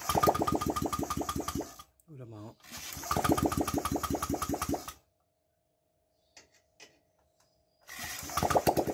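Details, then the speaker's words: Honda Vario 125 fuel-injected scooter, after reseating the suspected loose or corroded spark plug cap (new plug): the engine catches and runs with quick, slightly uneven pulses and a few blips, then shuts off. It now starts normally. "Oke, sekarang sudah bisa hidup."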